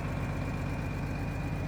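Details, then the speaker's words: Auction-bought tractor with new rear tires, needs full service: even, deep diesel idle with a steady thin turbo whistle on top; sounds healthy, normal idle with slight turbo whistle. "wide swing draw bar sounds pretty good fire you can hear that turbo whistling a little bit"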